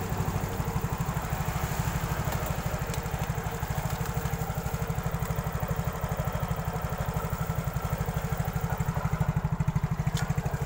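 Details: Yamaha Mio scooter that used to jerk and stall on the road, after fuel pump replacement: small single-cylinder engine holds a steady, even idle thump with no stumbling or cutting out; normal idle.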